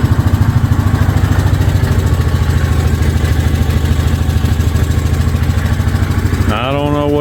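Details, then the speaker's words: 2023/2024 Yamaha Grizzly EPS ATV: steady low engine pulse near 200 per minute with a rough, uneven rattle over it; abnormal drive noise, cause unclear, rider thinks the CVT belt sounds like it wants to jump off the pulley. "that noise is but I don't think it's supposed to sound like that to me it sounds like that CVT belt wants to jump off the pulley crazy"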